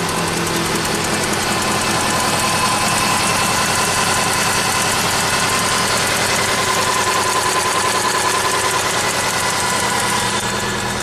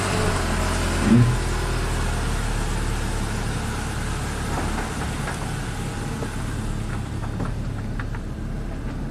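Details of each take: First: 2008 Subaru Legacy 2.5 SOHC, junkyard replacement engine, car at 164,000 miles: uneven lumpy idle stumbling two to three times a second with a tick; cylinder 4 misfire from lost compression, injector, coil and plug swaps didn't help. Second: 2008 Subaru Legacy 2.5 SOHC, 164,000 miles, junkyard replacement engine after a cylinder 4 misfire from a compression leak, now repaired and warming up: steady, even idle with a smooth low hum and no stumbles or knocks, normal idle.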